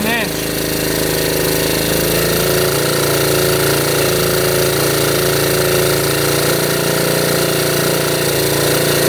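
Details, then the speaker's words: 1972 Honda CT70 with bogging problem, timing checked against F mark: loud rough uneven drone that never picks up crisply under throttle; spark firing far too late, retarded timing, points gap to be adjusted. "So it is firing really really late."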